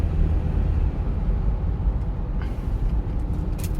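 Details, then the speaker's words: Sorento test drive at speed through a right-hand turn, earlier hum blamed on a worn driver-side hub bearing: steady low road rumble with no rising hum or drone; wheel bearing quiet and healthy. "속도를 쭉 좀 내고 낸 상태에서 자 조용하죠. 자 들어보세요. 자 하나도 안 나죠. 자 하나도 안 나죠."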